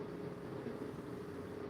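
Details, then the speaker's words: Cooling fan on a lithium battery active balancer, starting at low speed with about 7.5 V, controlled by two heat-dependent resistors for soft start and smooth speed control: a soft, steady low hum with no rubbing or ticking. Normal operation. "I installed two HDR heat dependent resistors, one just for start and the second for smooth speed control. Okay, not just start with high speed. As you can hear, little start."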